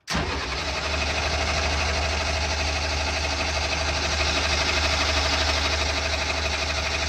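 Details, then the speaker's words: Military diesel generator bought broken, cranking after cracking injector lines and opening bleeders with little fuel delivered: steady starter cranking about three beats a second, never catching; shutoff solenoid next to be checked. Crank, no start, fuel starved. "I'm not getting nearly the amount of fuel that I should be getting out of here, even after opening these bleeders."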